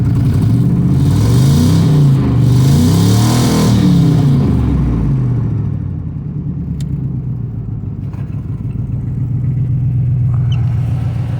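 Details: 4.6 L V8 with cylinders seven and eight misfiring, idling after revving with a deep, slightly uneven pulsing lope; recorded after fitting a new OEM bypass valve on top of the intake, sounding a little better.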